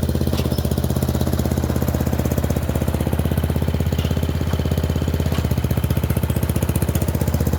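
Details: Murray Select 30" riding mower test-driven up and down a driveway: single-cylinder engine chugging fairly steadily with slight unevenness in the beat; running okay, a little better, though the owner notes carburetor and gas tank issues.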